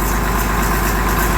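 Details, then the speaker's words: Farm tractor with dash being redone, run after work: steady, even low rumble at smooth idle with no knocks or misses; cleared up well, a little smoke remains while warm; healthy. "cleared up pretty good. Still got a little bit of smoke, but it's still warm enough."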